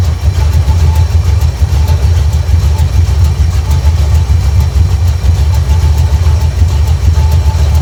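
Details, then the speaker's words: 1972 Chevrolet C10 V8 just started after a new fuel tank install, fuel pump drawing from the tank, warming up: deep, even burble with a steady low pulse and no misses or knocks; normal idle. "It's pumping fuel drawing off the tank."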